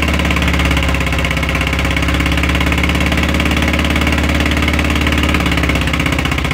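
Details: VW Fusca (Beetle) air-cooled flat-four, engine sat a long time; steady idle chug with an uneven clatter riding on the beat; unidentified engine noise.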